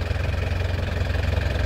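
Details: 2008 Isuzu Panther LS Turbo diesel: smooth regular idle, steady low throb and light even clatter, clean exhaust, nothing abnormal; normal idle.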